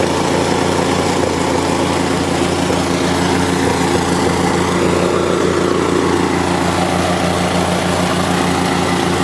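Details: Small compactor engine, an unbranded Chinese copy of a Honda GX160 or Loncin 196 that starts and dies, running normally at a steady, even fixed-speed beat with no stumbling after the oil sensor was reconnected and tested OK.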